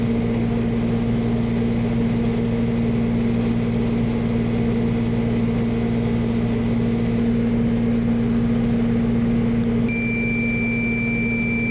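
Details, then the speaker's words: Reefer truck chiller unit with a cooling complaint: steady unit hum, then a piercing continuous alarm as the controller shows a fuse bad error; the fuse blew because the blower fan motor's carbon brushes were worn, and the fix is replacing the brushes. "so aan po meron pong lumabas na error ang nakalagay po ay fuse buad"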